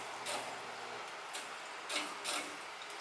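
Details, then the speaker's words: Gas boiler hydronic heating system, hose on first floor front zone purge: quiet background broken by irregular spitting, gushing bursts as trapped air pushes out of the heating loop. "I think I marked them right here. First floor front. Here comes the air."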